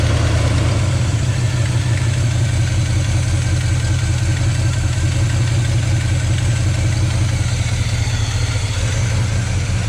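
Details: 1972 GMC 1-ton ramp truck, 454 Chevy big-block, revived after 27 years, fuel pump reconnected: deep steady V8 idle, even low rumble, no knocks or ticks over ten seconds; oil pressure pegged, running smoothly.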